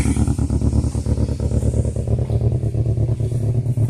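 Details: 2002 Toyota Corolla LE 16-valve with a bad motor, 173,000 on the odometer: deep uneven chugging idle, stumbling and shaking, won't take throttle, cause not identified; rough running engine.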